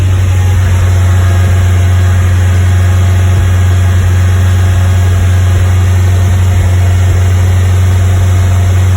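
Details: Westfield at steady 2500 rpm: engine hums strongly but stumbles now and then with uneven little pops; misfire at 2500 rpm.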